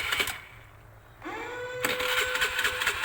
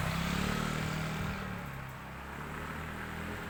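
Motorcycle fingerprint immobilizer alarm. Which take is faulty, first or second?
first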